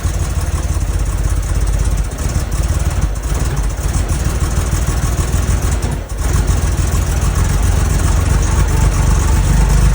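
Deep, uneven idle that lopes and stumbles with one clear dip in the engine note; it's running rough, maybe from vacuum leaks. Cause suspected, not confirmed.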